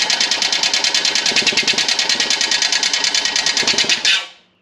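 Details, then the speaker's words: 1980s EZGO Marathon golf cart, Robin EC25-2PG 244cc two-stroke, muffler off, sound from exhaust: rapid sharp metallic clatter about three beats a second over harsh scraping, then dies; worn top end with metal in oil, low compression. "you can hear that noise. It's horrible. It sounds like straight scraping inside there."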